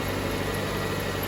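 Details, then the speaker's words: 2007 Jeep Compass 2.4L after starter replacement: starts, then steady, even idle with smooth low hum and no grinding or clunks; loud cranking fixed, running normally. "So moment of truth, battery, everything installed. ahead and start it off. You hear the car? Started. Everything is right."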